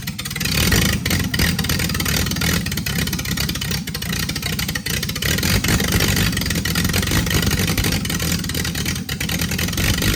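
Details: Freshly rebuilt Triumph TR6 six started cold, on chokes, carbs not yet adjusted; dense, steady roar with slight lulls and surges, not yet smooth. Runs well once warm with chokes off.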